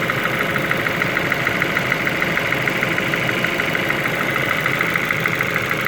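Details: Ford Focus 2 engine at idle: a faint, fairly regular light tick, about three per second, riding over the idle; engine knock, cause undetermined.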